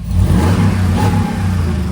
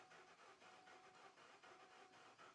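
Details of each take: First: Older Ford Expedition King Ranch that sat a long time, just started after PCM work: engine revs up cleanly with a smooth, even low roar and settles back without misses or knocks; normal revving. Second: Ford Expedition King Ranch that sat unused for a long time, started once and then died: slow, lopsided cranking with some strokes weaker than others. Mechanic suspects no compression in a portion of the engine; not confirmed.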